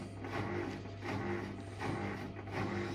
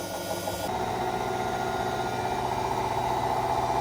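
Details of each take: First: Hotpoint Aqualtis washing machine drum turns with a low hum and a rough rumble that swells each revolution; the drum bearing is shot, and because it is a sealed drum unit the bearing can't be changed, so a new drum is needed. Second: Hotpoint Aqualtis washing machine after a drum replacement for failed bearings: empty drum spins with an even hum and soft rhythmic sway about four times a second, the belt holding, no knocking or scraping; normal spin.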